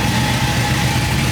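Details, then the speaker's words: Chevy C10 V8 after the vacuum leak fix, new harness, injectors and a reconnected sensor: smooth, even idle with a steady low rumble and no hunting or stumble, idling properly. "It looked like she's idling steady. It would have started acting up by now."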